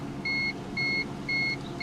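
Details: 1987 Toyota Camry LE, 4-cylinder automatic, parked and idling (fast idle noted): four even high-pitched beeps about two per second with radiator fans whirring. Lights-on indicator warning chime.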